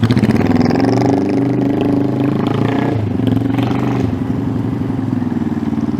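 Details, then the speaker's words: 1971 Honda CB350 with chopped exhausts, first start after sitting 50 years and four months of work, started in about four kicks; crisp, lively exhaust picking up eagerly, idle a little low. Normal running. "boy she sounds she sounds good yeah she does that's a happy little engine right there"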